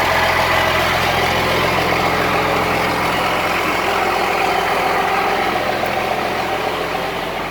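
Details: Cummins-swapped squarebody Chevy diesel truck started after installing dual plastic fuel tanks with one filler neck: steady, even diesel idle clatter, no stumbles or surging, doesn't seem lacking in fuel; normal idle.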